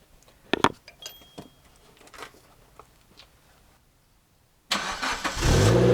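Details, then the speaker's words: Suzuki Jimny after replacing the blown rear back box with a standard stock one: clicks and handling, then the engine fires and runs with an even, muffled exhaust note and no rasp; exhaust sounds as from factory. "all right so now it sounds like it should have S from Factory so as I said nothing interesting it was just a straight swap basically standard back box for standard back box"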